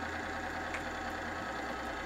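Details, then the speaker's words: Chain lubricant testing machine at 600 N load on an e-bike lube, before the load is raised to 900 N: an even, steady hum with constant pitch and no scraping or grind. It is running smoothly with no wear occurring. "like what you're hearing now that is uh there's no wear occurring"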